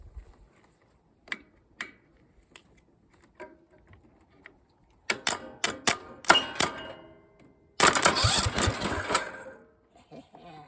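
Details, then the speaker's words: Briggs & Stratton single-cylinder engine, one of three being combined into two, coil just fitted: clicks and cranking, then a few seconds of sharp firing on starting fluid before it dies. A line was later found unhooked and the plug had no gap. "Maybe oh there it goes it works let's try it again it works again"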